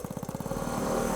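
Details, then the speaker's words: Honda C90 Cub bought off eBay, long unused, timing set far forward, on test ride: single-cylinder putter climbs into a steady buzz and stays there, revs not dropping; idle set too high, needs adjustment. "See, listen to that, the revs are staying high."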